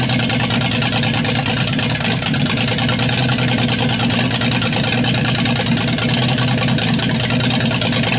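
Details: Built inline 200 with a stock unmodified head (about 52 cc chambers) swapped in to rule out head vacuum leaks, timing about 10 degrees initial, vacuum advance disconnected, about 10 inches vacuum: idles steadily but lopey and fluttery; valves or timing may need adjusting.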